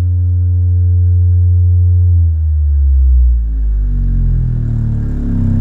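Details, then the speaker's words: Miller & Kreisel V-2B subwoofer amp (STK-086) after repair of constant hum/buzz: all failed-ESR electrolytic capacitors replaced, Deoxit D5 used. Pure deep test tone sweeping below 10 Hz on a small 6-inch speaker, no buzz or hum: clean output. "the thing sounds absolutely perfect let's put some copyright free audio into it now and make sure that it plays audio okay sounds much better than that annoying buzz that it had before"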